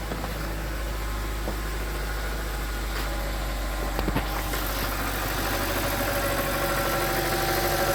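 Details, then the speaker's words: BMW 325i at idle after oil filter housing and oil cooler gasket repairs and a new auxiliary belt kit: the earlier horrible noise is gone, with a steady smooth hum and only a faint injector tick. "I taken the car out and they run for a while but as you can hear it sounds very nice now no extra noises anymore"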